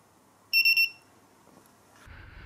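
Three quick, piercing beeps in a row: the beacon's signal that it has been switched off.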